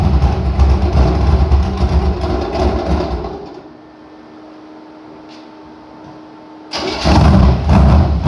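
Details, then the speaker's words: Chevy engine after head gasket repair, brief run without water pump belt to hear rocker arms: revs, drops to a quiet smooth idle, picks up strongly with even firing and no knocks; sounds like all power, normal running. "Okay, that's about as long as I really want to run it without a water pump belt on it. But it sounds like all power, so I think we're good to go."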